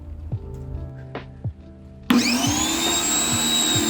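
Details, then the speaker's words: Ryobi 1600 PSI electric pressure washer on garden hose, first switch-on: a few handling knocks, then the motor kicks in with a steady high whine and even hum as pressure builds; normal start. "Working. You see, the pressure is built. Now the motor is on, but I don't hear the sound, so I believe the pressure is already built, and we'll trigger it and see what happened."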